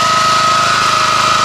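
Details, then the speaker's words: 1981 Honda F200 garden tiller warming up on choke after a cold start: steady small-engine chug with a faint rough grunting grumble from the tine drum brake, which is always slightly engaged; normal, nothing wrong. "drum brake works inside of here to control the time. It's always somewhat slightly engaged, just a little bit of friction."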